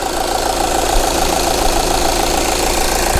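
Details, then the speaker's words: 2011 VW Sportwagen TDI at idle before repair, diesel dripping near the pump: shaking clatter with irregular stumbles; owner suspects the leaking fuel pump is getting air into the fuel, and replacing it fixed the leak. "the engine started running really rough it's shaking like a 1970 semi and I think that's because the pump's leaking and getting air into the fuel system"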